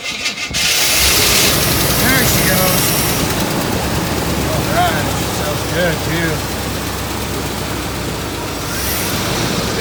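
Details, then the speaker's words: Cold auction car started on a half-dead NOCO jump pack after the starter struggled: catches and settles into a fairly even idle, then dies untouched; it runs, just cold; normal engine start. "and she is on her own power ah she died I didn't touch it try it again we know it runs it's just cold"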